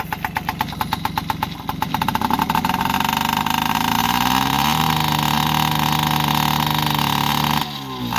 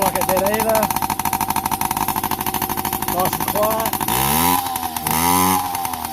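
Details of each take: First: Yamaha PW50 two-stroke after 5 years' storage, aftermarket carb and cables: pops unevenly, then a flat labouring buzz that barely picks up; it runs rich because the too-short aftermarket choke cable held the choke on, and the misadjusted throttle cable let the slide open only halfway. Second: Yamaha PW50 two-stroke, sat 5 years, after returning to cleaned OEM carb and throttle cable, oil pump readjusted, new spark plug, tank drained: starts easier, crisp even idle, clean pickup on blips, less smoke; normal idle.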